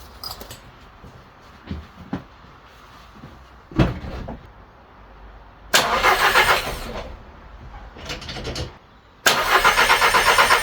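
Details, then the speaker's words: Crashed VW Polo R-Line, first start after fitting a new engine wiring loom with breather pipes still off: several cranking bursts, then an uneven, lumpy run like a bag of nails with a chain-like rattle on the case; EPC light on, cause unknown. "up starting up all right still running like a Bag of Nails you can hear that noise that sounds like the chain that does rattling on the case"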